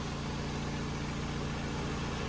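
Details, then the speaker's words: Citroen DS3 after an engine swap (previous engine mixing oil and coolant), warm, cooling system on plain water, codes not cleared: steady, even, slightly throaty low idle with no knocks, misses or hunting; possibly burning a little oil on the exhaust manifold. "but it all looks and seems very healthy, and she's even a little bit throaty. I'm very happy."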